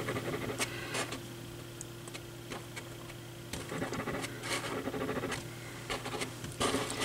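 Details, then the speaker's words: Altec Lansing Valencia 846B woofer after an attempt to re-centre the voice coil by shimming: dry scratchy scrapes each time the cone is pushed, over a low mains hum; some voice coil rub remains, possibly on the other side. "well there's still a little bit but not nearly as bad as it was and I don't know for a fact that I'm hitting this straight on yeah there's still some rub there if I do that"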